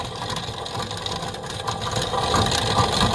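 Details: 2007 BMW E60 525i automatic, 65,000 miles, humming then would not drive; in drive, driveshaft spinning: rough grinding roar building with revs, no clean rhythm; rear differential bearing failure.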